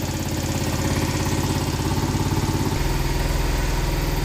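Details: 50cc two-stroke scooter just revived after a couple hours of tinkering: quick, steady popping putter at idle that keeps running smoothly; healthy idle, though it still needs more tuning.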